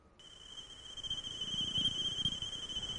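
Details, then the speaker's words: Marksman ultrasonic leak detector with its emitter switched on and placed inside a car trunk: a steady high beep grows strongest as the receiver nears the trunk seal, pinpointing an air leak there. "The Marksman comes with this ultrasonic emitter you just turn it on and throw it in the trunk the emitter is generating ultrasonic beeps and you'll hear it most strongly where the leak"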